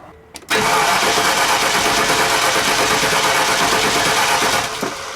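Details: 2001 Land Rover compression check, cranking at wide-open throttle: steady, even starter cranking with a uniform beat, reading about 119–120. One wet spark plug points to a misfire, but there is no dead cylinder.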